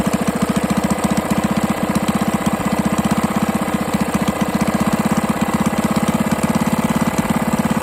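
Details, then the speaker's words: Rebuilt 98cc single-cylinder small engine, honed cylinder, break-in oil, no longer smoking; idling with a sharp steady tap every revolution, bottom-end knock from a loose connecting rod, clunk felt turning by hand. "However, it's making a lot of bottom end noise, like it's knock"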